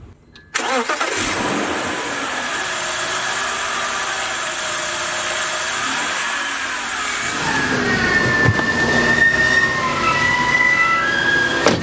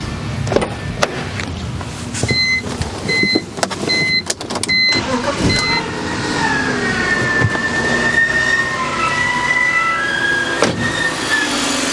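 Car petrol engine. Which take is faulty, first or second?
second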